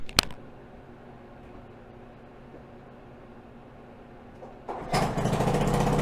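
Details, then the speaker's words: 1974 hybrid Honda ATC90 with a swapped 1972 US90 engine, carburetor refitted with new float O-ring and copper crush washers: quiet low tick at idle, then a steady, even rev with no knocks or misfires; healthy running. "seems to be pretty good all right guys so after all that where does it leave us with this bike well the engine runs which is good"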